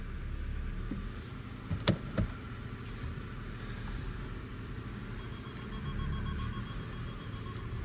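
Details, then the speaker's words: Cheap salvage Ford Focus listed with a gearbox issue, put into gear with reversing sensors beeping: steady low engine rumble with a couple of clean knocks as drive takes up, no grinding or whine. The gearbox is healthy; the fault was the drive shaft. "so there we go guys so it wasn't the gearbox it was the drive shaft all along first gear yeah Works absolutely lovely"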